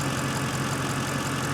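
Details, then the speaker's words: Mercedes C63 AMG widebody, hood open at idle: light, fast tapping over an even idle that follows engine speed; the tapping under the hood is said to be very common on these engines, cause not pinned down. "but you hear that you hear that tapping I don't know if you can hear it but just trust me"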